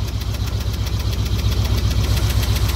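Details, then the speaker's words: Same truck just after the new crank position sensor was fitted, with throttle blips: deep, steady idle with regular firing pulses, only a slight leftover shake and roughness. Runs much better; normal idle, and the sensor swap fixed it. "but man, that sounds a lot better. Let's see if we give it some throttle. Yeah, I think that's quite a bit better."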